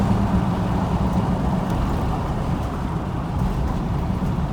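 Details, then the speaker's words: 2010 Chevy Silverado half-ton, 5.3 V8, almost 350,000 miles, after spark plug and wire check for a misfire, codes cleared, on a road drive: steady low rumble with no miss, stumble or knock; runs fine. "gotta say, I don't think there's anything wrong with it. It runs out pretty good."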